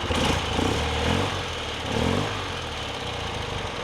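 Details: BMW R90 boxer twin after Harmonizer idle balancing, right-side idle speed adjuster turned in: steady idle with soft, even pulse and slight speed swells, no misses or hunting; balanced, normal idle before the 3000 rpm check.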